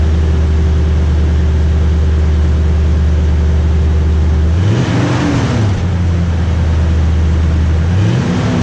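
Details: Toyota Tundra V8 on the stock exhaust before a TRD dual exhaust install, warm-ish start (run half an hour earlier), mic behind the truck by the exhaust: smooth deep idle, two quick clean rev blips settling back; healthy.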